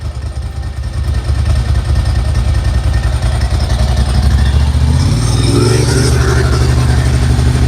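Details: 1990s air-cooled Ducati twin with Mikuni carbs after fitting a Dynojet kit, cold start on choke after the pump primes the float bowls: a deep, steady twin-cylinder thump lifting slightly as it warms, no rattles or misfires, no leaks. Normal idle.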